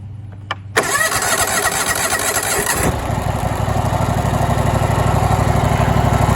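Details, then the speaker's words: Used John Deere LT190 lawn tractor, 476 hours, low on oil, started with a little choke: brief starter whir, catches within a second into steady even single-cylinder thump at fast idle; normal cold start. "Fires right up."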